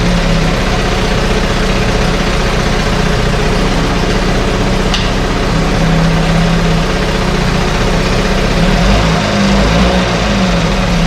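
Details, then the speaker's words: 1968 Evinrude Fastwin two-stroke outboard running in a test tank with additive in the fuel: steady, even low drone with no misses or surges and no cold-start cough; it runs better each start, normal running. "every time we start it up and running it runs a little better i do have some uh seat balls mixed in this particular fuel tank and it just keeps cleaning things out"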